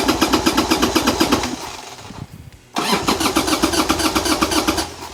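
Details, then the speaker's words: 1990 Harley-Davidson Sportster 1200 after 10 years stored, old gas drained, new plugs: fast cranking chuff about four per second that briefly catches then cranks again, lots of smoke; owner suspects fuel issue, carbs may need more cleaning. "I mean that's the closest it's been this start for over 10 years so we're on the right path there's so much smoke there's so much smoke"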